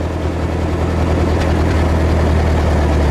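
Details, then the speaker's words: Old backhoe sat at least 5 years, first start on starting fluid: steady low rumble, even beat, no knocks or misses, idling smoothly right after firing up; normal idle. "When I first sprayed that fluid in, got that first little crank to go over, then sprayed a little bit more, man, it fired right up."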